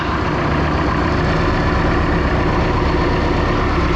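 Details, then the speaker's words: 1976 Mark Twain boat Mercruiser 120 hp four-cylinder Iron Duke, once stuck engine, during tune-up, water on, cold start; steady even idle with smooth low throb, no misses, ticks or knocks, normal idle. "the nice part about the rest of this video for the most part it's going to have the melodious sounds of the four-cylinder Iron Duke running as it should"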